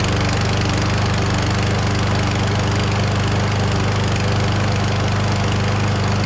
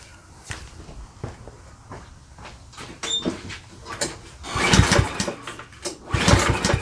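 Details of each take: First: Certified push mower (Canadian Tire) after replacing missing oil dipstick, fresh oil and gas: steady, even single-cylinder drone with no misses or surging, no oil leaks at dipstick; running smoothly, normal running. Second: Certified self-propelled push mower with bagger and a missing oil dipstick, in a function test: repeated pull-cord bursts about every 1.5 seconds with brief cranking. It never catches; the engine turns but won't start.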